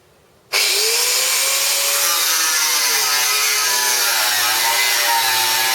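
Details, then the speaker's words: Bosch 600W corded 4-1/2-inch angle grinder with a normal cutting disc: steady high scream through the whole cut, no dropping or bogging under load. Normal cutting. "Not really a problem cutting through that."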